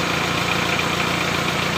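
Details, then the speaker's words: Mitsubishi L300 diesel after adjusting injection pump timing to cure white smoke from incomplete combustion: steady, even diesel clatter at idle with no misfires or stumbles; smoke mostly gone. "asapnya sudah Alhamdulillah hilang ya ya Ki pembakarannya kurang matang pada mobil L300 ini ya"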